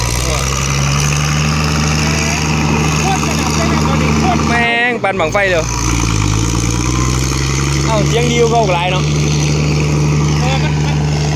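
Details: Diesel engine idling, not yet fully hot: steady even low drone with faint background music, much softer than before and now no smoke; normal idle.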